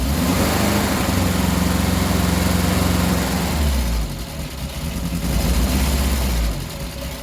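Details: 1967 Triumph Spitfire MK3 abandoned project, first start-up: low uneven four-cylinder beat sagging and lurching at idle, smoother with revs up; lumpy idle needing a tune-up, carbs to be stripped and cleaned.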